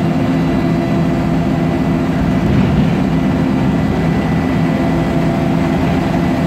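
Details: MAN Lion's Classic CNG bus with MAN E2876 LUH03 EEV turbo engine and Voith DIWA 864.3 4-speed automatic gearbox, accelerating: heavy engine drone with a steady whine on top, a noisy Voith gearbox plus a slight differential whine.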